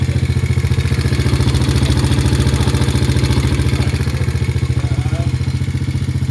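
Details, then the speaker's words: 125cc Chinese quad of Honda 125 design, after a carburetor fix for hard starting and stalling (dirty pilot jet, crud in bowl, mixture screw leaking past threads, cleaned and sealed): steady single-cylinder idle, even for 40 minutes, no stumbles. "The thing sat there and idled and ran for 40 minutes. Not a problem, not a hiccup. Nice and smooth."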